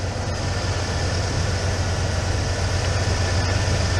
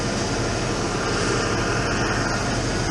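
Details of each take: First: 1996 Ford F150, Mercury 5.0L V8, after throttle position sensor replacement: smooth, steady idle at about 950 rpm per gauge with no knocks or surges, still warming up and bleeding air from the cooling system; repair confirmed, normal idle. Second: 1996 Ford F150 pickup with down-tuned Mercury 5.0L V8, warmed up, idling steadily well above its normal ~500–800 rpm with no hunting; intake sprayed for vacuum leaks, high idle traced to a faulty throttle position sensor, replaced.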